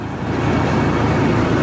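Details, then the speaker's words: 1990 Chevy Blazer/GMC Jimmy 4.3, first start after a valve job and head gasket replacement: steady, even idle with a smooth low rumble and no knocks or misses. Normal idle. "There you go. Nice and stable."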